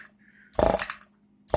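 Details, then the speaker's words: Power-brake vacuum pump, with a vacuum shut-off switch relay conversion, on the bench: two short buzzing bursts about a second apart over a faint hum, the pump short-cycling because of a vacuum leak somewhere in the setup. "it's cycling there's a leak up in here somewhere when it gets on a car it's alright because the brake booster will hold it back"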